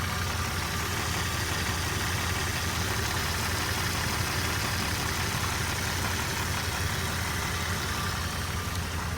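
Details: 2001 Jeep Cherokee Sport 4.0 with 200,000 miles idling: faint, fairly quick ticking over the rumble, present for 100,000 miles without problems; owner unsure whether lifter tick, piston slap or rod knock.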